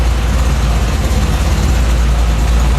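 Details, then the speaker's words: 1970 Firebird Trans Am clone V8 on a base tune, idling through its new exhaust: low, even rumble from the tailpipes with no boomy drone; the drone is judged clearly gone, though it doesn't sound much quieter. "No, no, no. It is the the the drone is way out for sure."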